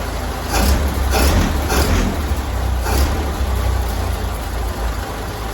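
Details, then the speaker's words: 1932 Ford Model B four-cylinder after its spark plugs were cleaned: started right up and holds a low, steady idle with a slow even beat. Runs smoothly and sounds healthy. "started right up idling good I think we're okay"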